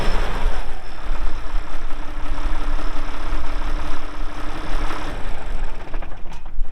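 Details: 1979 International 986 2WD cab tractor diesel, about 3,200 estimated hours (meter reads 2,321, not working), light use on ~50 acres: deep steady clatter with even firing beat, no odd knocks or misses; runs great, normal diesel running.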